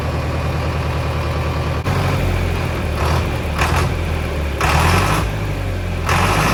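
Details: Mid-1960s John Deere 3020 diesel tractor, about 477 hours and mostly original, just restarted after sitting five years: a steady, even, low chug with no knocks or misses. It is idling normally.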